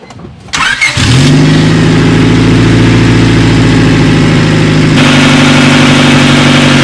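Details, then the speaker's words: 1998 Honda Civic hatchback after new OEM fuel filter replacement and battery reconnected: short crank catches quickly and settles into a smooth, even idle with no misses or knocks while checking for leaks; running healthy. "Alright, so by the looks of it, looks like we are good."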